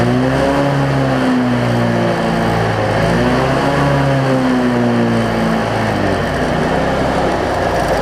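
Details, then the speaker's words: Cub Cadet zero-turn mower, Briggs V-twin, after repairs including a part that had wiggled loose over time: loud, steady run with slight slow rise and fall in pitch ("doing a little dance"), holds speed well; considered fixed. "i know y'all couldn't hear that or couldn't see that but y'all can hear that it's running it's doing a little dance now but the good news is it looks like i got it"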